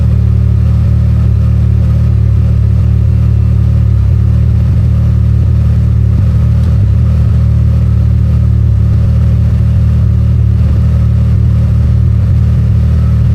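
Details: Can-Am Maverick R with Evolution Powersports flex fuel system, running while E85 is added to tank of 91 octane (ethanol reading rising from 15% toward 80%): deep, even drone with steady low tone, no stumble or sputter; runs smoothly.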